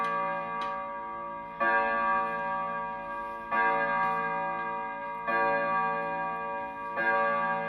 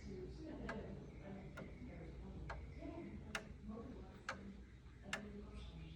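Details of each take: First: 16th-century Dutch pendulum clock, the morning after repair; extra wood removed so it hangs straight. Slow, evenly spaced beats about every 1.5 s with ringing tails. It runs steadily and healthily. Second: Roughly 500-year-old clock that hadn't run in years, after cleaning and oiling, set ticking: slow ticks a bit under a second apart with uneven spacing and loudness. The out-of-step beat comes from a broken, short escape wheel tooth, later confirmed.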